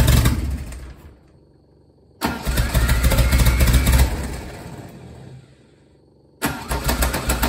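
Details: Lotus Esprit: three cranking attempts turn over evenly at about three to four beats a second but never fire; crank no-start, cause unclear.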